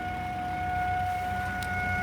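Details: 2009 Volvo XC70 parked and idling: a steady, high electrical hum at one even pitch, coming from underneath the car at the passenger-side rear rather than under the hood; cause unknown.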